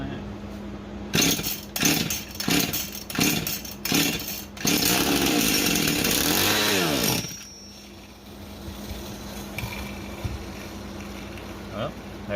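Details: Husqvarna 51 chainsaw, fitted with a new ignition coil and shut-off button, started on choke. Several pulls, then a brief high-revving run that quickly dies; it runs but won't stay running, and the cause is still undiagnosed.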